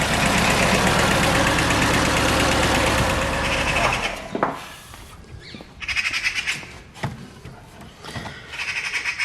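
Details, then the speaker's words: 2006 Mercedes A150 W169 with a rough, lumpy misfire: cylinder 4 is dead from an open circuit in the injector wiring. The fault code won't clear, and it was fixed by bypassing the injector wiring. "Now I know you might say you need to delete the fault, but I tried that. No, it will not. The fault will not go away."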